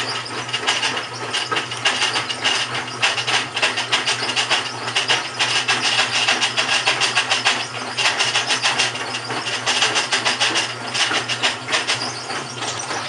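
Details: GE washing machine, model WHDSR315DWW, bought 2006, makes continuous rough gritty grinding under the churning hum while running; owner suspects the transmission is going bad, not confirmed.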